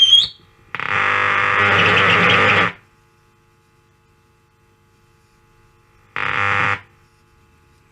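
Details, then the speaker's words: 1940 Bland Operatic Model C valve radio barn find under restoration, on test: low steady mains hum under bursts of static, no stations received on that band; audio chain working, cause not confirmed. "there's a hum there no radio stations so it's working all the way through just hasn't got any stations"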